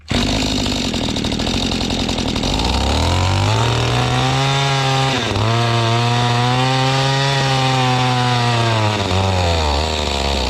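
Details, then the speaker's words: Mantis tiller two-stroke bought at estate sale, choke off after starting with choke and full throttle: buzz surges up and down every few seconds, never holding revs; dirty or unadjusted carburetor suspected. "Dirty or unadjusted carburetor, seems like to me."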